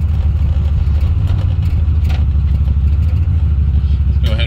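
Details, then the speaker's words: 1980 Pontiac Trans Am Turbo 301 V8 revived after sitting about 18 years, on a test drive; deep steady rumble under load, then a short airy chirp as throttle lifts; normal turbo spool and blow-off. "and it runs so good and you can hear see if you can hear the turbo kick on blow off noise this thing sounds fantastic"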